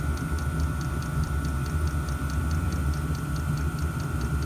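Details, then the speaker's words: 5kW Chinese diesel heater on 3 bars: soft, steady fuel-pump ticks about four a second over a low fan roar. It has fired up and is running normally, blowing hot air, with car-like exhaust smoke, neither light nor thick. "Well, I'd say that is working. Yep, that's hot air coming out of there. That's fired up and it's running."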